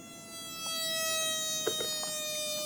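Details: 1980s Marantz PM-45 amplifier with an unstable phono stage: a steady, high, raspy buzz like a fly trapped in the speaker, suspected around the op-amp gain circuit; capacitors checked okay, still unresolved.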